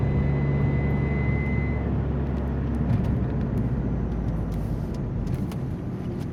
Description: Alfa Romeo 147 strange whistling sound when acceleration very slowly.